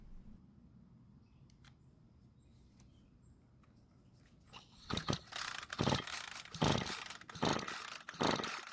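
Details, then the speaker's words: Ryobi string trimmer that won't start but has good compression, with mixed fuel poured into the carburettor throat: silent at first, then it catches and buzzes in uneven bursts on the primed fuel only; fuel lines and carburettor were then serviced. "i'm going to see if it will start and run after i put some mixed fuel into the car's throat if it doesn't run it means either it doesn't have spark or the compression is too low for the engine to run"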